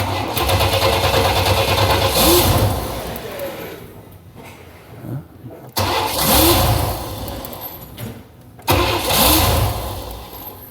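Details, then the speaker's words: 1995 Chevy Astro 4.3L, no-start with new fuel pump, fuel pump relay bypassed giving about 62–64 psi: three starts, each a couple seconds of steady cranking then catching and running, slight misfire; the ECM's pump relay control is suspect. "crank it over it should start as long as there's no other problems"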